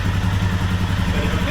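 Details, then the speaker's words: 2021 Royal Enfield Himalayan Euro 5, 6,000 km, idling: steady single-cylinder idle with light fast metallic rattle from lower right engine, worse as it gets hotter; loose oil pump sprocket letting drive chain rattle. "now I can hear it rly and the hotter it gets the worse it gets"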